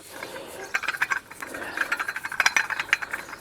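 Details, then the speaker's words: 1995 Dodge Neon 2.0 water pump, removed and spun by hand: loose gritty clatter like marbles in a can; worn water pump bearing, though the pump never leaked. "wow ain't supposed to make that noise so if you have a problem with your water pump uh especially the uh Neons two lows probably this is probably it"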